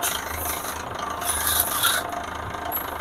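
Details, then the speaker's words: Toyota with only 30,000 km: rough, gritty rasping rub from the drivetrain when pulling away and on deceleration or lifting off the throttle; joint coupler already replaced, differential checked fine; output shaft to propeller shaft found off-centre at transmission end. "ternyata bunyinya pada untuk transmisi ya di AS yang nyambung ke Poros propeller itu terjadi seperti tidak senter ya sehingga menimbulkan bunyi yang sangat berisik"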